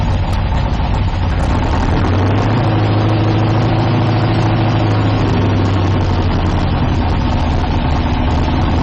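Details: 1972 Nova drag build, in gear during transmission test after fluid drain (earlier 2-3 shift locked rear wheels); loud steady lumpy idle, even pulses, no clunks or slipping flare; transmission engaging and holding, normal idle in gear.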